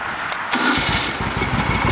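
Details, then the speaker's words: Freshly restored 1971 Moto Guzzi, cold start with new Dunstall replica exhaust pipes: brief starter whir, catches at once and settles into a steady, even, throbbing idle; clean healthy cold start. "beautiful starts right up idles"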